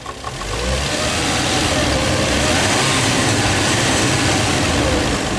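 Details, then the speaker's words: Toyota JZX100 Chaser at idle after new parts were fitted: a light, irregular, temperamental knock at three to four a second that does not rise with rpm and fades as revs rise. Intermittent knock, cause unconfirmed. "it's still making that really weird sound so i'm gonna ask around for a couple of people's opinions on what they think it could possibly be it's like temperamental like so it's not gonna do it oh there it is and it doesn't go up with rpm"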